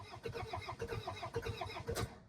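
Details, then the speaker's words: 2002 Toyota Camry, 273,000 miles, sat over 5 years after shutting off while driving: starter cranks evenly but never catches, tach not moving; coil pack harness found cut and fuse blown, no ignition; crank no start. "So, they said that it wouldn't it would turn over. It just wouldn't start. Thing that's concerning me is the RPM gauge is not moving."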